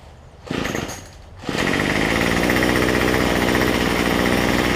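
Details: Cheap two-stroke weedeater after a $6 Chinese replacement carburetor, a different gasket between air cleaner and carb, and carb adjustment: steady rapid buzz with no stumbling or dying out; running properly, cold start not yet tested.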